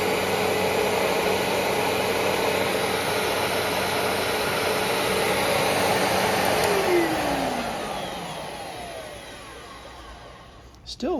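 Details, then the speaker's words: 1996 Fantom Fury 10-amp upright vacuum after a brush roll rebuild with repacked bearings: a steady roar, then a faint whine falling in pitch as the motor winds down. Better than before. "a little whine when it winds down, and that's with the bearings repacked, but hey, it's better than it was."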